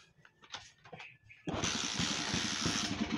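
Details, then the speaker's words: Rusi 125 Macho motorcycle that dies when headlight, flasher or horn is switched on; kick-started, it catches with a rough, uneven popping beat and won't keep running: misfire, cause not yet found, side cover to be removed next. "oh palyado ha a Oh palyado so P ganyan ang issue mga boss umaandar palyado ayaw magtuloy"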